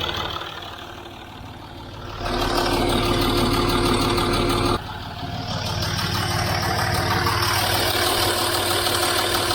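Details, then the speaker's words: Land Rover Discovery 3 at full oil temperature after new OEM oil pump and 5W-40 oil: even warm idle, no bottom-end rattle; light ticking thought to be timing chain. "i hold the camera in here no rattling i hold it in here i mean i hear it ticking here but i think that's our timing chain yes but i hear no red link from the lower engine"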